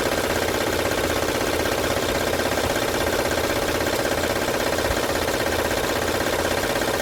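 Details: 2006 Honda Odyssey at idle, no stored codes: even metallic rattle two to three beats a second over the engine, loudest at the front; timing belt suspected, not yet confirmed. Engine rattle.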